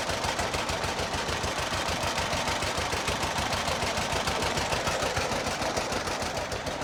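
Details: John Deere model B two-cylinder tractor, cold start, first start since summer, nearly dead battery yet fired right up: slow even putt about 200 beats a minute, catching cleanly; healthy idle.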